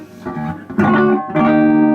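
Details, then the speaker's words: 1949 Gibson BR-6 tube amp after servicing and cleaning, chassis remounted in the cabinet for a quick tone sample: clean plucked guitar notes ring full and steady with solid low end and no hum or crackle. The amp sounds healthy; more DeoxIT cleaning is still planned. "Yeah, putting it in the cabin makes all the difference in the world."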